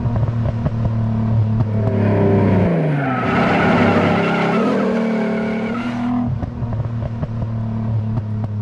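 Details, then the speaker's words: 1991 Nissan 300ZX V6 after fixing the cut harness, shorted PTU and popped ignition coil: first start, idles steadily then revs cleanly up and down with no stumble or miss. "that sounds like my car let's go guys I haven't gotten a chance to drive this in so [ __ ] long I love it so much she runs"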